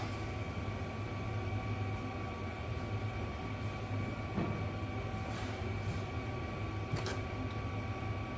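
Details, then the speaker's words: Kia Sportage 1.7 diesel after injectors cleaned, copper seals replaced and new rocker cover fitted, first start: steady low rumble with faint constant hum, no knocks or misses; normal idle, minor fuel leak at number 1 then fixed. "Sounds good, looks good, should be good."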